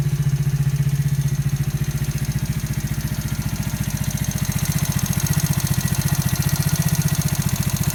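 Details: New engine at 200 km, valves adjusted to 0.05–0.07: steady idle with a sharp, regular tapping on every firing pulse, about four a second; engine knock of unknown origin, owner asking for advice.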